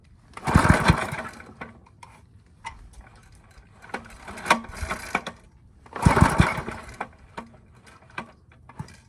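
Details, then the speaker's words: Briggs & Stratton 5 hp I/C engine with Pulsa-Jet carburetor after a non-thorough carb clean, spark and kill switch confirmed; three hard pull-cord bursts with quick compression thumps, never catches, cranking with no start; gas is to be added to the air filter next. "let's get a little gas and see if it fires with some gas in the air filter."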